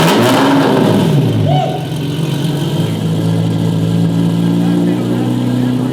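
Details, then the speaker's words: Fast & Furious movie-spec Lamborghini Murcielago with its existing exhaust, which is to be removed: very loud, raspy rev with a harsh drone and no rich note; loud straight-pipe exhaust. "okay did you hear that huh yeah that does not sound good at all and I don't want to have a Lamborghini sounding like that so I can't wait to take the exhaust off"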